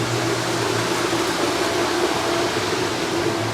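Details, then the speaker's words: Pool filter after backwash with pump just turned off: steady rushing hiss of water still draining through the filter from downward pressure, no pump hum or knocks; normal residual flow. "Now, you can hear it's still going. That's just the downward pressure that's forcing it through the filter."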